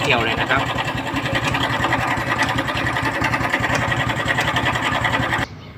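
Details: Honda Wave 110i small single at idle: fast, busy ticking clatter like a sewing-machine rattle from the top end; cam chain and chain tensioner roller suspected, engine oil found very low; engine ticking clatter.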